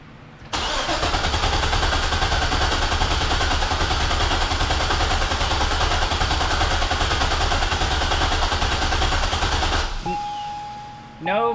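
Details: C6 Corvette cranking after fuel tank removal and a modified sending unit; steady starter cranking for about nine seconds with no catch because there is no fuel pressure, later traced to the fuel pump wired with reversed polarity.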